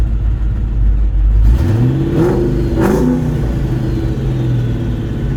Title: Idles fine, revs fine, just makes noise and cuts in and out when driving 2003 4.6 2v